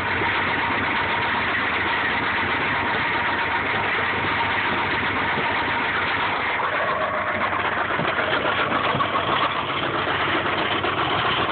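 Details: 1995 Subaru Impreza flat-four idling: steady, dull knock under the engine note that persists after an oil change and additives; owner suspects rod knock.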